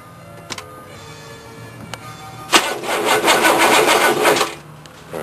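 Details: Diesel vehicle on a cold, damp day, test crank without glow plugs: starter turns sluggishly about two seconds at roughly three beats a second, dragging; owner suspects the starter and will pull it.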